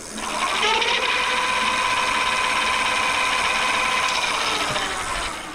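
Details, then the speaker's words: Bafang G900 750W geared rear hub motor on a 29-inch MTB, 52V battery at 57.6 V, throttle only with the wheel unloaded at about 33–34 mph: an even, high-pitched gear whir with light ticking, running healthy. "Let's see what this thing sounds like. It says we're going 33 unloaded 34 at 57.6 volts. 34 mph. 57.6. That sounds cool."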